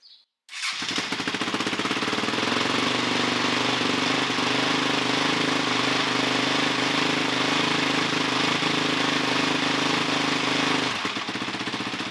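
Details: 2006 Honda CRF450X with 450R head, after rebuild and idle adjustment: engine catches quickly and runs with a steady, crisp, even bark, revving fast with no knocks or misses; normal healthy running.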